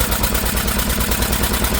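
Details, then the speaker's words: Old Lister engine, first run in many years after sitting, throttle held open with a stick: brisk, even firing beat at fast speed, regular with no misses or knocks; running cleanly. "wow there you go guys and that was not staged that is its genuine First Run for God knows how many years and didn't it sound quite nice"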